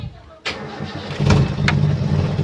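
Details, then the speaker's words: Toyota Kijang 7K carburettor engine with its repaired emission control module refitted after the faulty IC was replaced. It starts quickly and settles into a steady, even low idle with no misses or hunting, and the carb solenoid check follows. "sudah stasioner kita cek apa selenoid sudah bisa on off"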